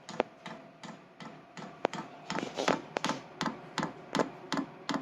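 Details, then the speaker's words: Vevor diesel heater (8 kW, 40 W) at startup, priming diesel to the combustion chamber: sharp regular dosing pump ticks about every third of a second over a soft fan whirr, quieter when stopped; pump clicking fuel in normally. "आइए अब पंप सुनें, फिर जब यह बंद होता है तो हम स्पष्ट रूप से इसे बहुत कम सुनते हैं।"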